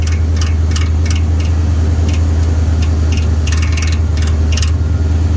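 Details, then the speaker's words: C3 Corvette Stingray at idle, rattle a mechanic called engine ping: sharp uneven plastic ticks over deep hum as the fan blades hit the plastic fan shroud, not ping; fixable with a cable tie. "the fan shroud. The fan's hitting the fucking plastic. I don't have an engine ping."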